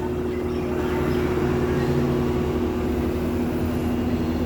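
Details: Lloyd 1.5 ton inverter split AC, bought April 2023, outdoor unit: steady loud drone with fixed mid-pitch humming and buzzing tones over the fan, no major vibration; abnormal hum since installation, unresolved after two service visits.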